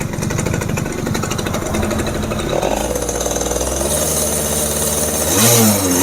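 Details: Yamaha F1ZR two-stroke just rebuilt (new conrod, crank bearings) with carburetor installed, first run with doubled oil mix: crisp rapid popping at idle, then a quick rev blip that settles cleanly; smooth engine.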